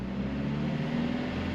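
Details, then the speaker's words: 2008 Toyota Prius with a freshly rebuilt engine after its first start: a smooth, steady engine hum at light revs with no knocks or ticks, revved up and down for break-in, though rpm cannot rise very high. "So I can rev it up. It's not a lot, but it is some revving."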